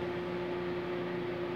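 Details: Consul CMA20 microwave on 220 V with a cup of water (panel worked but it didn't heat): steady, even mid-pitched hum with no crackle or buzzing.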